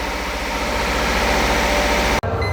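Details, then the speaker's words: Mercedes R129 SL600 V12 that sat for years, after a new fuel pump and fresh gas: uneven, lumpy idle with a brief dropout. It has oil pressure, and the owner suspects a misfire from bad gas or debris in the fuel. "know running a little rough well it's B running a bit rough but it does have fuel pressure or oil pressure actually I think it's misfiring just got some bad gas in"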